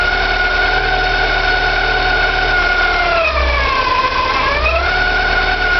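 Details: Porsche 944, 2.5 naturally aspirated 8-valve engine at idle: several steady whining, squealing tones that sag together as revs dip, hard to locate but from the front; owner suspects oil pump or balance shaft, unconfirmed.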